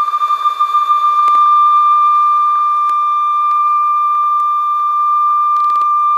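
A clean, steady high test tone holds its pitch without wavering; tape speed sounds even and the drive belt is healthy.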